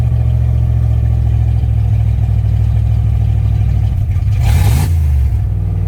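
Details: Ford Fox-body Mustang V8 first start in about 18 years: loud, raw, blatty, unmuffled idle with a brief rev; exhaust leak at an open joint not yet welded; oil pressure gauge not yet working.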